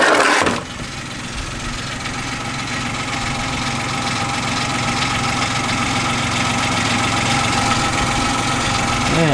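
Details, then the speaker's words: Kia engine started to warm up before an oil and filter change: once it catches, a light, fairly regular tapping knock of a few per second runs through the steady idle; a bit of a knock. "so all right ah got a bit of a knock"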